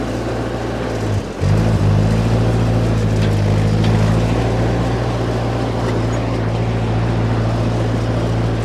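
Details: Ford 8N tractor (circa 1948–52), driven under load after getting it running again: a low steady drone dips briefly, then pulls evenly without popping or cutting out, so it's running properly.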